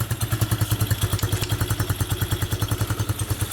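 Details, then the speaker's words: Coleman AT125UT ATV that would not run, just started after backfiring: the small single-cylinder engine idles with loud, sharp puffing pops at each firing from an exhaust leak; the exhaust is to be tightened. "Because I hear it out of here. Yeah. I'm gonna tighten up that exhaust."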